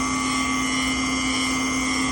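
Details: GE washing machine making noise on spin: loud, steady whining roar with a harsh hissing edge; worn drive motor bearing rather than the tub bearing.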